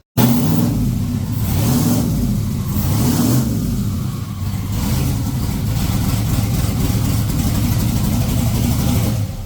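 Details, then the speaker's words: Budget twin-turbo Chevrolet C10 with a 5.3 V8, first start after leak checks: catches with a few throttle blips rising in pitch, then settles to a steady rumble; sounds good, IAC to be checked as it acted up. "All right, guys. So she fired up. Sounds good."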